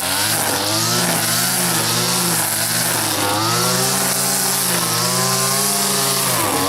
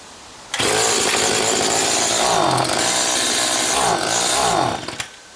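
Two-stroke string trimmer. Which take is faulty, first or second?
second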